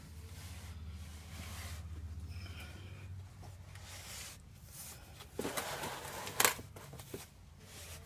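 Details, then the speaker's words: Nissan Titan rear differential, drained with a ton of shavings on the fill plug, driver-side axle popping out: loose metallic clunks as the driveline is rocked by hand, worn differential with excessive backlash, likely needing new parts. "this uh driver side axle pops out and then you can pop it back in and there's clunking when you spin the drive line back and forth"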